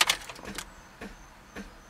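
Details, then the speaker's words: Sharp dry clicks on the key turn with no cranking at all: a reading of only 11.1 V, too weak to start the car. "hear clicking okay now we know that was not enough to start the car"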